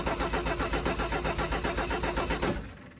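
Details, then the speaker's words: 1984 Ford F250 recovered from flooding, carburetor run dry to prevent starting, cranking without jump box; starter grinds over sluggishly about four turns a second then drops off; weak battery; much faster once jump box connected; slow cranking. "that's pretty slow not so great"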